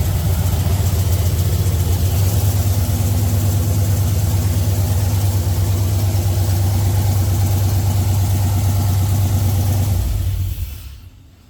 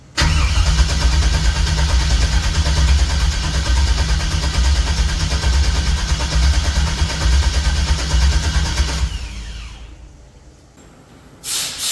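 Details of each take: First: 1964 GMC truck V8 after a rewiring job and after swapping the reversed fuel feed and return lines: deep, steady idle with an even beat, no knocks or misses, holding smooth until shut off; runs normally. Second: 1964 GMC truck V8 with Holley EFI after rewiring: long steady cranking with no catch, a pause, more cranking and a single pop that seems to come from the driver-side bank; crank no-start.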